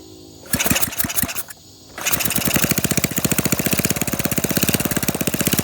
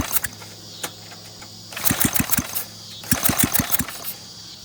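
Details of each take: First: Flathead Briggs minibike engine with no exhaust or muffler, recoil needing repair: a couple of pulls, then fast, sharp, even popping straight from the open port as it runs with the throttle held open. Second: Rebuilt Briggs flathead minibike engine on its first run, no exhaust fitted, possibly a blown head gasket, 103°F day. Sharp uneven pops come in short bursts between pulls, catching a few strokes then dying. Sputtering, intermittent firing.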